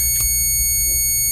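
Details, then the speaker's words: Airgap high-speed camera flash switched on to charge its capacitor to about 17–18 kV: a steady, piercing high-pitched whine. Normal high-voltage charging whine. "so if I turn it on that humming noise means that it's uh dangerously high voltage basically"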